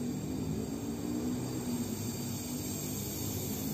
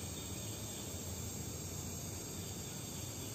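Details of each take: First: Oxy-fuel welding torch with oxygen valve opened further for an oxidizing flame: steady, harsh, very hissy sound with a low roar beneath, clearly hissier than a neutral flame; short, very sharp flame. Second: Oxy-acetylene welding torch burning a neutral flame with a blue inner cone and a fairly long orange outer flame: an even, unbroken roaring hiss with no popping or sputter; normal neutral flame.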